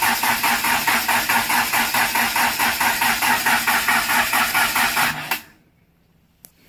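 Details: Mitsubishi Conquest turbo swap on MegaSquirt, first start attempt: even cranking at about four pulses per second for five seconds, never catches; ECU showed no RPM sync, likely no fuel delivery with fuel pump relay unplugged and pump not heard.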